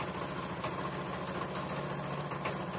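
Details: 2015 Honda Beat injection scooter, previously no fuel pump and no coil spark, told to need new ECU, after repair: steady, even idle with soft regular beat, no misses or stumbles; running properly again.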